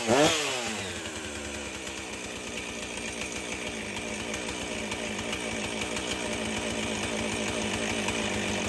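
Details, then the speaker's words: Husqvarna 450 two-stroke chainsaw after rebuild and swap to a Hipa spark plug: pulls over, catches, settles into a fast buzzy idle that holds steady without dying; runs properly. "w that sounds a lot better so I'm not sure how long the hip of plug will last with I'm try it"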